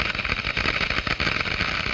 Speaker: the noise is generated by the collapse of these Bubbles as they move into the higher pressure in the diffuser